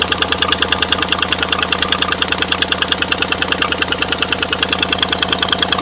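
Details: Bought-used 2016 Chevy Silverado, cold start idle. Sharp, even ticking about three per second that goes away as it warms. Exhaust manifold leak from broken manifold studs on the passenger side, toward the back.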